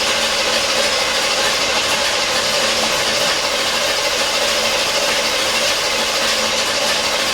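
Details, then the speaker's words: 1977 Corvette not started in over 6 years, cranking with distributor disconnected to pump new oil: steady starter whir, even rhythm, no catches or knocks; turns over healthily with decent-sounding compression, not firing. "remember i have the uh the distributors disconnected so it's not going to start that's for sure but we do want to crank it"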